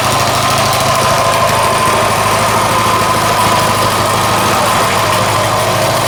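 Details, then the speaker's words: Coleman 196cc mini bike, a repaired customer return with a formerly locked-up motor, started easily fully choked. A fast, even single-cylinder putter at a steady idle with no misses or rattles; it runs healthy. "Turn the switch on and listen how easy it starts. Sounds really good."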